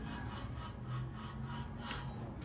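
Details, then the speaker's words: 2015 Nissan Frontier wheel bearing hub assembly turned by hand with the rotor removed and no load: quiet, gritty, scraping rumble from a worn bearing, which is being replaced. "and this is without a load on it so with the load of the vehicle on it it's going to be much more pronounced but that's exactly while I'm why I'm replacing it"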